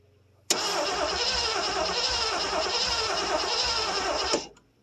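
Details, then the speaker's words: 1973 Ford Gran Torino Sport, 351 Cleveland, off the road about 30 years, new starter, distributor missing one hold-down tab: it cranks steadily but never fires. There is no spark now, though it had borderline spark earlier. "I wonder why we ain't got no sparkles. That can't be right. It had spark earlier. Well, it was kind of borderline spark."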